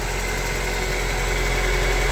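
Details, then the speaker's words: Honda EF Civic sedan at idle after timing belt replacement following a snapped belt: steady idle with faint constant hum; humming noise, owner suspects the wheel rubbing where the lower cover was cut out. "And it sounds like some kind of humming. I have a feeling that might be just from where I had to cut out the lower cover and the wheel was kind of rubbing."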